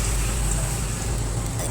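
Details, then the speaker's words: Spin dryer whose basket would not spin because it was stiff to turn, after the fix of oiling the basket; steady, even low hum with no scraping or knocking as the basket spins freely, now working normally. "So ayan mga kawinding, simple lang ang naging sira nito ay nilagyan lang natin lang yung langis yung yung pinaka-basket niya doon dahil matigas ipihitin yan. Ngayon okay na ito."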